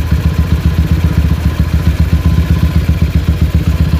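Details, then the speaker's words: Honda GL single-cylinder motorcycle warm idle hunting up and down with a steady low chuffing pulse; it will only idle at high rpm, dies when the clutch is pulled after riding, and makes a rattling noise when hot. "dia itu sudah ketika mesin mulai hangat ataupun dia itu sudah menginjak musim panas stabilnya mulai tidak stabil ya naik turun naik turun"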